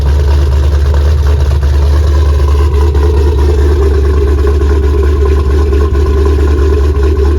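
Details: 3V Mustang GT 4.6 V8, newly installed engine with new clutch, flywheel, headers and the original Steeda underdrive pulleys, first start: deep, steady idle with even low rumble, no ticking or knocking; normal idle, engine healthy.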